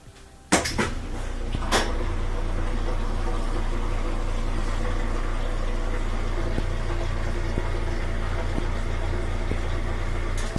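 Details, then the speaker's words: Whirlpool top-load washer after replacing broken motor coupler (broken by heavy loads) that stopped agitate and spin: steady low motor hum, smooth spin with a few clicks and bumps at start and end; normal spin cycle. "now you have the motor coupler back in there we can hear it that's great alright go to spin"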